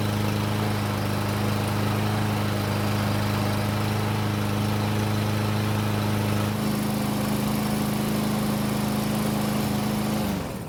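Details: Mower that sat unused and wouldn't start, fixed mainly by addressing bad fuel: steady, even drone with a smooth beat, pitch stepping down around seven seconds, then shuts off cleanly; normal running.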